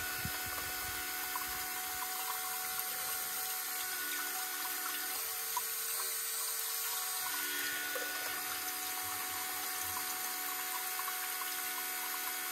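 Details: New electric lift pump on a construction machine diesel, bleeding and filling filters: steady, even hiss with a faint constant buzz, flow noticeably stronger than before; normal electric lift pump running.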